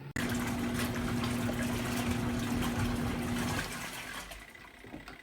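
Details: Twin-tub portable washer's spinner side spinning out water: steady motor hum with water rushing for about three seconds, then smooth wind-down; normal spin.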